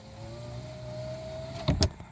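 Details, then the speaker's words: Dodge Ram power window that otherwise works only from the master switch, run with 12 V applied by power probe at the back-probed switch circuit: steady motor whir rising as the glass travels, clunk at stop; normal power window operation. "see you got 12 volts and now the window works pretty sure you guys can hear it but it rolled down as you can see and I'll roll it back up"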